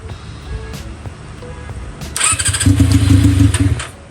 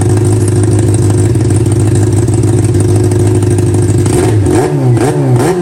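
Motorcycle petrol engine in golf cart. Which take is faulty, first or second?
first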